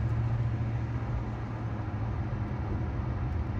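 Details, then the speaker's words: 1992 Dodge Dakota V8 after a new Spicer U-joint was fitted to the driveshaft, cruising at about 40–45 mph: steady low road rumble, no clunks, clicks or whine; driveline sounds normal, and slight vibration is blamed on bad tires. "I don't hear anything crazy. Do you? I'll take that."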